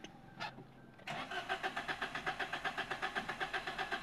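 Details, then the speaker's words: 2021 Suzuki Alto with DTC P0336 crankshaft position sensor range/performance: long cranking without accelerator, evenly about two and a half beats a second, never starts; crank no start. "Long cracking ہے اس میں اب گاڑی start نہیں ہو رہی ہے"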